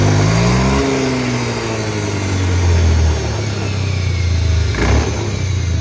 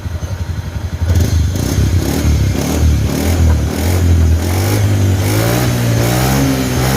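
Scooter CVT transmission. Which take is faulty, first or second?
first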